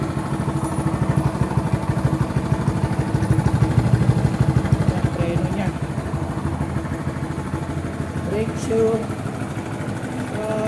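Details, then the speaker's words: TVS XL moped single-cylinder engine after reconditioning with new oil, new asbestos and a new nut: a steady, even putter with no knocks or rattles; the earlier noise is gone and it runs clean. "Wala na yung ingay. Kasi may bagong asbestos. Bagong nut. Na po yung tunog niya ngayon."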